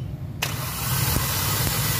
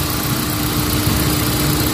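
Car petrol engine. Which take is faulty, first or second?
first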